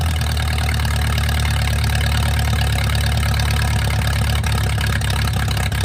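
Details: Mercruiser 470 3.7L marine engine started for the first time in 16 years, battery wired straight to the starter: a steady, even low rumble with a regular firing beat and no knocks or rattles, idling smoothly after long storage.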